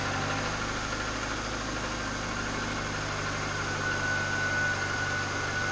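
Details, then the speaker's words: Subaru 2.5TS non-turbo wagon, junkyard replacement engine just swapped in, idling to bleed the cooling system: smooth, even low hum with no knocking or ticking; quieter than the old motor, no fluid leaks. "I think it sounds a lot quieter than the old motor don't seem it to be happy it's not pissing fluids everywhere it's not knocking"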